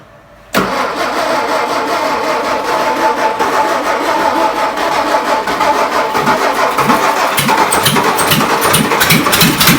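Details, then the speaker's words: 1959 VW Beetle sitting about 45 years, first start, original distributor needing work, no exhaust: catches and runs rough and uneven, pulsing irregularly with no steady idle; hard starting from a clogged carburetor that needs rebuilding. "Carburador no sirve. It's plugged up. Yeah, carburetor is clogged."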